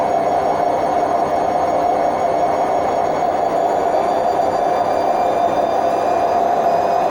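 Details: Hotpoint WMF760 washing machine on its high-speed spin program: a continuous loud roar with a droning mid tone, typical of failed drum bearings.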